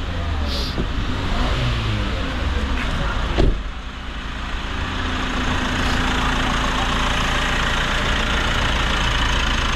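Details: Mitsubishi Montero diesel with a reported noisy fan belt, squeal traced to the alternator pulley: steady even idle with smooth low thrum and no squeal or chirp from the front; normal idle.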